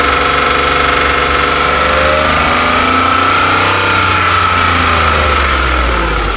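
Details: Porsche 997, warm engine held at steady mid revs: a thin whine wavers slightly in pitch over the running noise; the owner is asking for ideas, and the cause is unclear.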